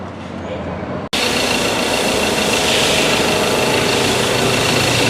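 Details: Ford Ranger 2.2 diesel, idle a few minutes after start, injector code for cylinder 3 (wiring/coil circuit): uneven, lumpy, shaky clatter; rough idle, wiring later checked OK.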